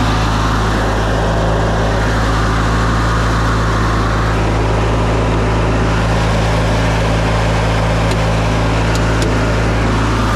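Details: Older Briggs & Stratton Sentinel by Murray ride-on mower after starter drive gear replacement, under load: steady, even low drone holding pace without stumbling or knocking; engine running smoothly.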